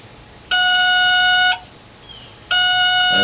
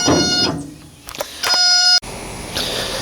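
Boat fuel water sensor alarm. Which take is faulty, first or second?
first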